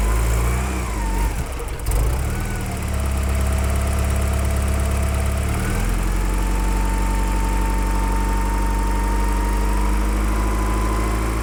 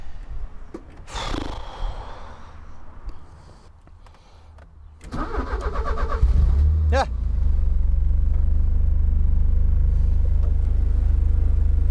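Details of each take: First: Porsche 944 with a no-start problem finally catches, rough for the first two seconds, then settles into a smooth, even idle with a steady low hum. It runs nicely once going; the owner suspects injectors or their electrical supply at starting. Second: Porsche 944 that would not crank: a few quiet knocks, then a quick crank and catch into a steady low idle after wiggling two twisted-together wires at the back of the steering wheel; a poor wiring splice was stopping it cranking.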